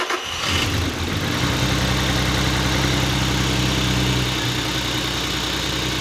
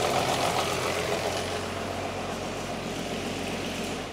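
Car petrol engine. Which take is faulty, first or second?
second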